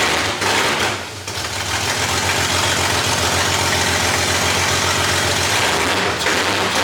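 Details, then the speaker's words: 2JZ-swapped Nissan 240SX early start, no exhaust, no O2 sensor, wrong ECU and MAF: lumpy, uneven idle about four pulses a second with hissy background; owner suspects vacuum leaks and these missing or wrong parts. "there's there's probably a vacuum leak or two and some other stuff there's no exhaust and there's no O2 sensor and the wrong ECU and the wrong mass airflow could be some of that but we'll see"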